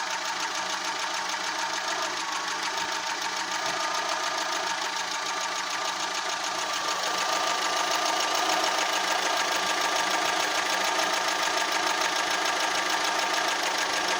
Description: Fiat punto idle is really rough , I've changed plugs , Air filter , leads , used Redex and even replaced mid exhaust section , drives fine but idle really shakes engine at random intervals